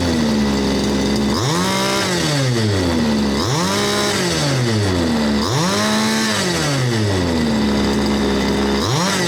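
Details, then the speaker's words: 1/5 scale RC Baja two-stroke engine after repair, no full rebuild needed: it ticks over steadily, snaps up to a high buzzing rev and drops cleanly back to an even idle four times, a normal idle and revving. "So it runs very smooth. You can hear the thing ticking over, tick, tick, tick, tick, tick. You rev it up, whap, tick, tick, tick, tick. It just ticks over."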